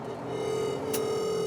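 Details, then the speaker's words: Truck cab with Vnomics True Fuel monitor: driver deliberately revs past the shift point, and a steady mid-pitched over-rev alert tone sounds over the cab hum until he shifts. "I'm going to deliberately take it higher than I should. And you hear that annoying little tone."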